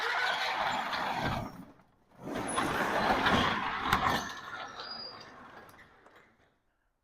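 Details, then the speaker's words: 18x8 CHI garage door, model 5983, insulated steel: loud rumbling roll with rattly clatter from bad roller bearings as the door travels, far too loud, before replacement with 13-ball-bearing nylon rollers. "I want you to train your ear to the bearings in the wheels. That is way too loud."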